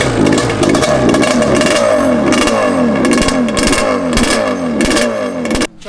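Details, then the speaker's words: Yamaha Banshee 350 two-stroke ATV: loud engine rising and falling on the throttle with a stuttering, uneven beat that keeps cutting in and out; breaking up at revs, cause unknown. "yeah it sounds like she's breaking up"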